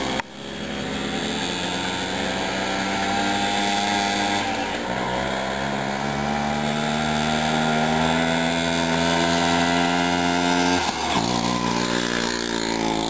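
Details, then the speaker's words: Old moped, a Jawa Mustang or Helkama Sport, with a two-stroke buzz that climbs unevenly and dips before recovering; it runs rough, and the owner feels everything is mis-adjusted, possibly the mixture. "Mul on tunne, et ta on tiku peale nagu reguleeritud kogu see asi, ta jooks vald täis."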